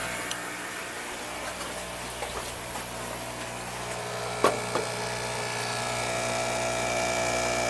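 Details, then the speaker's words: Older aquarium air pump, one of two currently running in a fishroom, compared with a new diaphragm pump: a steady electric buzz with a faint high whine and a few handling knocks; it runs noticeably loud. "let see there's this one too I run two of these right now currently that's how loud that is that's how loud this one is"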